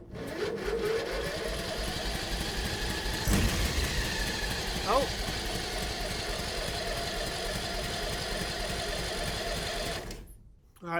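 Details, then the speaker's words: Free used mini NASCAR go-kart after tank cleaning, new parts and a charged battery: starter cranks about ten seconds with an uneven chug but it never fires; spark present, fuel delivery doubtful, water later found in the fuel lines and engine. "We had a spark. That's a good sign. I don't know how much gas it's getting."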